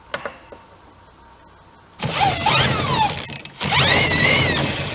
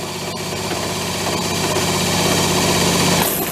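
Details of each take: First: Small engine on a 7-foot mini speed boat, left sitting with moisture and rusted up, spun with a clutched drill on a 1/2-inch socket: drill whines steadily but no firing or catch at all; no spark, kill switch wiring suspected next. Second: Motor on a 7-foot mini speed boat being revived: it spins up with a steady buzzy drone and rising tone, then water gushes out as the freshly primed raw-water pump draws and pumps properly, kicking out dirt.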